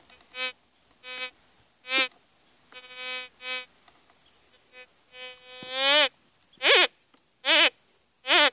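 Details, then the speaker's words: GMT White's metal detector, set with no discrimination, sounds repeated loud warbling bursts about once a second, some sweeping upward, over stone with no silver underneath; a false signal on mineralized rock. "onde você vai rolar a pedra aqui não tem prata mas toda perdia prata e grita"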